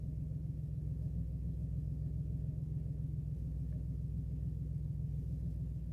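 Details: 2007 Dodge Caravan 3.3L V6 idling with a low uneven rumble, one dead cylinder; codes P0202 and P0302, injector 2 circuit open; heavy misfire and lack of power persisted after customer-replaced parts.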